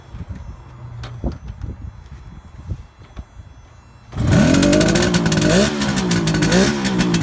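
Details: Cold 1971 Kawasaki H1 500 two-stroke triple, rebuilt engine and carburetors, on choke: catches and revs raggedly with an uneven lumpy beat; center cylinder dead from no spark.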